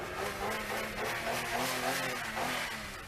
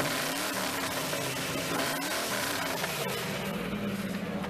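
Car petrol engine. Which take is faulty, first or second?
second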